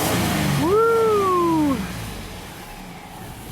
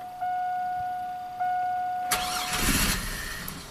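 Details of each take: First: 2002 GMC Sonoma V6 with a long crank and low power complaint, after straightening a pinched, twisted fuel line and replacing the filter O-ring: quick clean rev climbing and falling smoothly without stumble, fuel pressure reaching 60 psi. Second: 2002 GMC Sonoma V6 with long-crank and low-power complaint after five fuel pump replacements: two short cranking bursts with a dead pause; fuel pressure 58 psi key-on (spec 60–66), confirming low fuel pressure.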